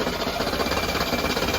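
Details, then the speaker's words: Mercedes M110 engine restarted hot about 20 minutes after shutdown, after ignition and fuel delivery work: fast chattering pulses as it cranks and tries to catch but can't keep running. It starts and runs well when cold. Hot start failure. "you know it's when it's cold it starts right up and runs real well but when I let it sit about 20 minutes it's about 20 minutes after I shut it down hot this is what happens"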